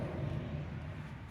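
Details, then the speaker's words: Jon boat trailer wheel spun by hand: low rough gritty rumble fading as it slows from worn bad wheel bearings; after new bearings, races and seal it is quiet. "hear that that's what bad bearings sound like"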